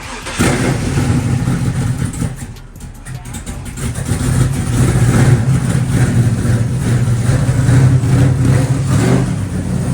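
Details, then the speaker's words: Cammed LS-swapped G-body Monte Carlo SS after new header gaskets, spark plugs and a full tune-up: fires up into a loping, choppy cam idle with a deep growl and no header ticking or puffing; normal cammed idle. "And you hear that Black Ghost chopping. The Black Ghost is running shit."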